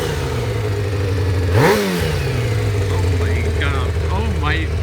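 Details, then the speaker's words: Kawasaki ZX600D not maintained over winter, on its first start after worn spark plugs were replaced. The inline four catches and revs crisply, then falls back to a steady even idle of about 1,500 rpm with clean throttle blips. Healthy. "three two one it works it freaking works and listen to it"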